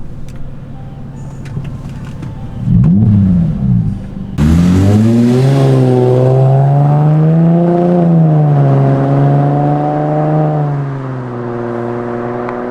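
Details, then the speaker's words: Mercedes SLK 350 after full transmission valve body overhaul and TCM replacement: strong, clean rising engine note pulling hard through a crisp upshift, then settling evenly. Normal acceleration, shifts now smooth. "hey that was a good rip car is feeling amazing I am loving it"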